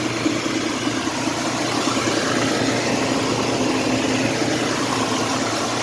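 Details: Mitsubishi Montero with long crank time: fuel pressure was present but dropped quickly, traced to the fuel pump check valve. Engine then settles into a steady, even idle with no stumble, hunting or misfire.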